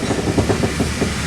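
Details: Fox body Mustang, 410 cu in small block Ford, stick shift, after hard 6,000+ rpm clutch drops: rear end turned slowly by hand gives quick uneven clacking and knocking as gears catch and skip; broken ring gear teeth.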